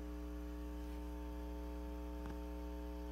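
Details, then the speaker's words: Suspected 1972 Fender Silverface Bandmaster tube amp: steady low electrical hum with even overtones, clearly heard, caused by faulty input jacks in the normal channel while playing through the vibrato channel; the jacks need repair. "But it's going to need some help with those input jacks. There you go, now you see. Now you see it, right? Clear as a whistle."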